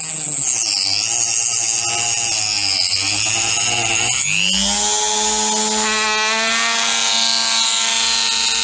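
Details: Parkside PFBS 160 B2 precision drill-grinder with a cutting-blade attachment: a high whine drops into a rougher growl once cutting starts, less so with no load; growling vibration, cause suspected, not confirmed.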